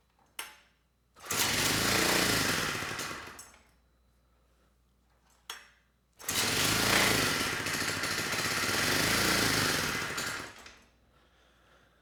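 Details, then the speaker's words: 1970 Honda E400 generator, not run in over a decade, uncleaned carburetor, on choke, only a couple volts output: fires and roars a few seconds, fades and stalls when choke turned off, then catches and surges; dirty carburetor. "let me see if I can turn that choke off manually and now it just stalled so I'm gonna try to let it run a little bit longer see if that choke will come off and if it can get up to speed"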